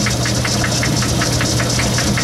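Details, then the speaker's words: Logan lathe cutting aluminum at slow speed, then sped up: sharp rhythmic clack about four times a second over the steady drone, from a broken tooth in the lathe's gear train. "you hear that clack clack clack clack that's a broken tooth in my years"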